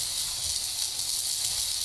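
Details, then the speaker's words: Pressure canner processing beef pot roast: heat lowered too much, so the pressure regulator weight stopped rocking; only a smooth steady steam hiss with no rhythmic jiggle. "I see I lowered the heat a little bit too much and it's stopped rocking altogether so I'm gonna not just a heat back up just a little bit"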